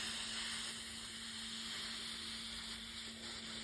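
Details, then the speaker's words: Hot water boiler radiator with partly cold heat, bleed valve opened after refill and flush: steady, even hiss of air escaping with no water spitting yet; trapped air in the radiator. "so that's now the water pushing the air out of the valve and what we want to do is wait until that starts to just spit a little water up"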